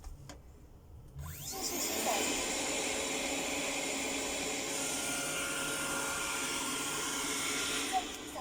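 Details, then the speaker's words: Xiaomi robot vacuum turbo brush refitted on bearings to cure a foreign noise: a smooth, steady high-pitched whir over the motor hum with no rattling or scraping; noise gone, normal running. "посторонний звук пропал мы естественно теперь щетка турбощетка вращается на подшипники"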